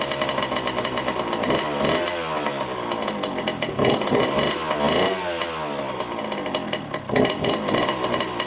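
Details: 1987 Honda CR80 two-stroke dirt bike, carb cleaned, choked first start: raspy engine repeatedly blipped, revs surge and sag, won't hold idle; white smoke and milky oil, owner suspects coolant in oil and an air-fuel mixture screw needing adjustment.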